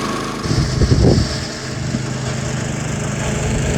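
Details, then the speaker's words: Vintage National reel mower's Clinton engine after new points, fuel tank flush, carb cleaning and replaced flywheel, mowing grass; even steady buzz with brief cutting clatter, no more flywheel-cover noises or uneven running; runs normally under load. "And the little thing's pretty happy now. No more unhappy noises from underneath the flywheel cover. No more uneven running from the iffy spark."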